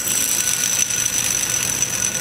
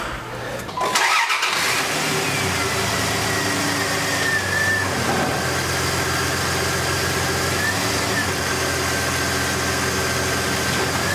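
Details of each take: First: Idler pulley removed from a 2001 Dodge Dakota 3.9 L V6, spun by hand: steady, gritty high-pitched whir of a worn bearing, replaced with a new idler. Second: 2001 Dodge Dakota 3.9L V6 after the serpentine belt was reinstalled: the engine cranks, catches within a second and settles into a smooth steady idle with no squeal or chirp. Normal idle.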